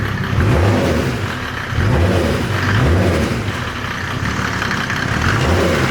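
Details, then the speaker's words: Land Rover 110 build, diesel running after fitting custom radiator and intercooler: throttle blipped from inside, engine climbs and falls cleanly with a hissy intake whistle; sounds good. "Try the throttle from inside. I've never done this before. Oh yeah, that sounds good."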